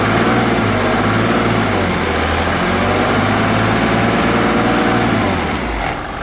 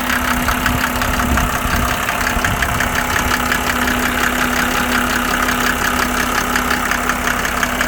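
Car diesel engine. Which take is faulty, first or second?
second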